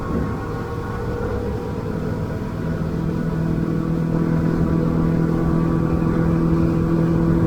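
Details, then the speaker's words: Outboard boat engine at about 5,100–5,200 rpm: the labouring drone gives way to a clean, zingy, even hum, the efficient cruise sweet spot for fuel saving; normal running. "So there you go, it picks up that real zingy type sound to it"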